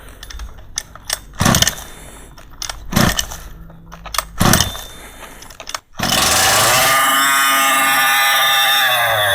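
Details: Large-scale RC two-stroke gas engine, cold start with choke: several pull-starter rasps, then it catches and settles into a steady high buzzing run; normal start and run.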